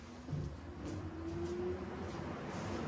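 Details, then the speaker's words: VELIT air conditioner for a Ram Promaster van conversion, first bench test on battery power before install; beep, then a low hum settling into a steady mid-pitched drone, no rattle or grinding: normal startup. "That's working. All right, so I cut the power, but it works. It turns on, it's working."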